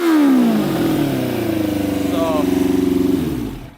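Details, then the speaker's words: Custom Yamaha Banshee with Suzuki Katana 600cc engine, Stage 4 jets, pod filters about to come off: snaps up crisply to steady high buzz in neutral, no stumble; revs out fully in neutral but not under load. "it revs out in uh neutral completely but then when under load it doesn't want to rev out completely and hit those high rpms"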